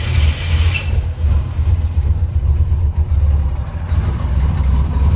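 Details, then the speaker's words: 1987 Buick Grand National turbo, 32,000 miles, abandoned 12–13 years, stock fuel pressure regulator refitted, computer connected: heavy, lumpy wandering rumble that never settles, loading up on too much fuel; back to square one. "That's the last thing we need. I don't know, I gotta gig it. Too much fuel, y'all."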